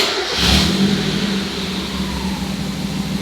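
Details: Mazda Miata, after replacing the fuel pump relay (earlier no-fuel fault was a bad crank position sensor), new relay connected: starts at once, revs swell, then settles to a smooth even running note; normal start and rev.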